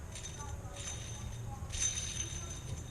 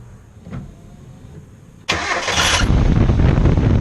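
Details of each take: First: Accessory-drive pulley removed from the engine and spun by hand gives a quiet, gritty, scratchy rattle in bursts, grabbing the finger. Its bearing is shot and the source of the whining noise. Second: Engine after replacing a whining accessory-drive pulley with worn bearing: cranks, catches and settles into an even idle with no whine from the belt side; accessory drive now quiet.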